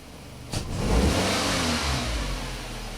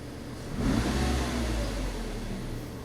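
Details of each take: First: 2003 Nissan Altima 2.5S four-cylinder automatic with P1102 and poor idle, snap throttle test: revs rise sluggishly and fade with hesitation, MAF voltage erratic; failing mass air flow sensor. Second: 2003 Nissan Altima 2.5S four-cylinder automatic after the mass airflow sensor was replaced for rough idle and a P1102 code: a sharp throttle snap with revs climbing cleanly and settling smoothly. MAF signal reaches about 4 volts; normal response.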